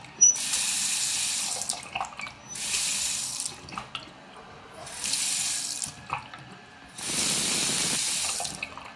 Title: Grohe brand faucet making noise after just 1yr of use